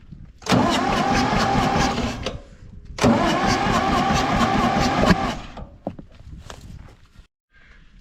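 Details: Ford 4000 tractor, burnt and left standing over 20 years, with water-contaminated oil and a new oil filter; two cranking bursts of about two seconds each, steady compression chugs but no firing, blamed on a faulty injection pump.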